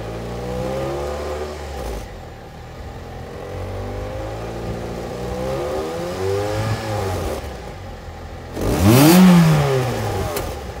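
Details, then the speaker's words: 2006 Ford Fiesta ST after fixing manifold heat shield, welding back box and fitting new tailpipe tip: starts and revs freely, deep note rising and falling cleanly, no rattles or blows; exhaust sealed and quiet under bonnet. "Quiet as a mouse now on tip over. Can't hear anything under that bonnet. I think I've done alright there with the exhaust notes."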